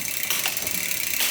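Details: SRAM GX Eagle 1x12 upgrade on a mountain bike (X01 shifter and chain, OneUp 32T oval chainring), on the stand after B-screw adjustment: light ticking chain and gear clicks, crisp shifts with only brief occasional chatter; derailleur indexes well.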